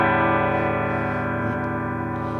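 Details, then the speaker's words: Egnater Tweaker 15 head through a Rivera Mini Rock cab after replacing capacitor C15 (0.022 µF 400 V) to fix red plating on the V3 6V6. A distorted chord rings clean and full with no crackle, hum or fizz, and no red plating. "I got it going through a Rivera mini rock wreck, and okay, so okay, that sounds pretty good. So far so good. I don't see any red plating. It sounds decent."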